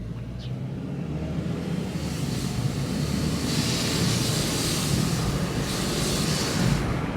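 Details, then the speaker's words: 2nd-gen Chevrolet Cruze 1.4 turbo after installing a Go Fast Bits DV+ diverter valve: steady engine drone with a breathy high hiss swelling with throttle, like a pressure cooker; owner suspects a boost leak, unconfirmed. "That hissing sound? Yeah, that's not supposed to be like that. The car is definitely not supposed to sound like a pressure cooker. So, again, I have a wild suspicion that I have a boost leak."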